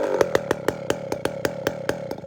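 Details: Chainsaw just fitted with a walkerized muffler, low-jet tuning problem: firing pops slowing from about seven to five a second and fading as it dies off idle; stalls from rich low-speed mixture after the muffler change.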